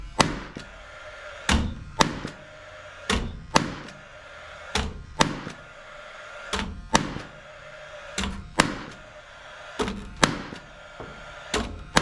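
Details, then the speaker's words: Paslode cordless lithium-ion 16-gauge finish nailer after replacing expired trim fuel cell: sharp, crisp bangs about one per second, fires every shot with no misses or hesitation; normal firing. "so at this point it's fired every time I fired quite a few shots no issues whatsoever with the gun"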